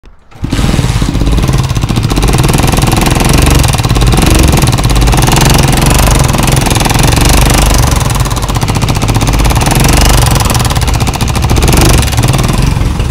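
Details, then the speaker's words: Honda CG125 motorcycle engine making an alarming noise: a loud, rapid, hammering tap from the top end throughout the run. "दोस्तों जैसा कि आपने engine की आवाज़ सुनी कि कितनी ज़्यादा ख़तरनाक आवाज़ आ रही थी बाइक के इंजन से,"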